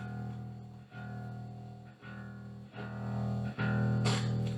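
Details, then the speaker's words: Gallien-Krueger RB400 bass amp head: bass notes ring through the amp, then brief scratchy, staticky crackles burst in as the knob (including master) moves, from a dirty potentiometer track. "sounds a little staticky master's a little staticky so it could be a lot worse than that"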